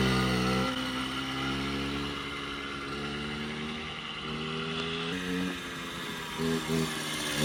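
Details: Puch Maxi two-stroke moped, freshly rebuilt from random parts and push-started: buzzy note that rises and falls with the throttle, running normally without misfires.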